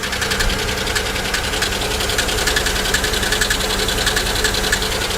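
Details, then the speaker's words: GM 3400/3100 V6 salvage car at idle: light, fast metallic top-end ticking over a slightly uneven idle. Owner suspects lifters (possibly collapsed), a blown lower plenum gasket with water in the oil, or a coil-related misfire. Not confirmed. "that doesn't sound like a lifter not at all actually that does sound like lifters that almost sounds like this car maybe has the uh blown lower plenum gasket"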